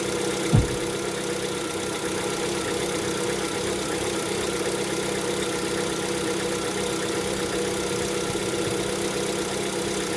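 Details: Lada Vesta, 11,000 km, cold engine: steady idle with a dull, even knock running through it; owner attributes it to piston knock (slap) on cold start.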